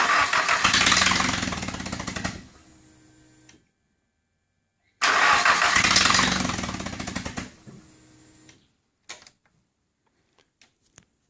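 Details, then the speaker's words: Nissan SR20DET turbo engine swapped into a car; two even cranking bursts of about three seconds each, the starter spinning steadily but the engine never catching, cranks but won't fire, cause not yet diagnosed. "met the stage where it needs to fire and it's just not starting the way I thought it might and thinking what can't really diagnose it"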